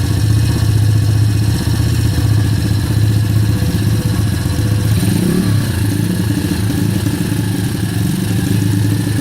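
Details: Kayo YX140E Klassic pit bike single-cylinder engine, throttle opened a bit more then held steady: note wanders up and down, dipping and recovering with sneezing stumbles; hunting rpm and misfiring, cause unknown.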